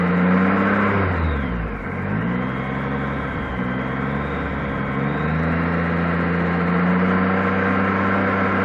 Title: Bruit moteur - Gold 1800